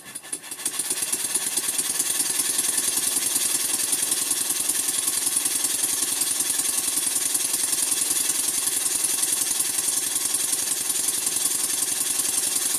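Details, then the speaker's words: Model steam engine for a Stuart 504 boiler plant, after retiming for early admission before bottom dead centre: it runs more powerfully and faster, with crisp, quick exhaust beats about two to three a second, steady and very even; normal running. "it sounds entirely different it's much more powerful it runs faster and altogether much better and as you can hear in this clip when i stop speaking the beats are very even"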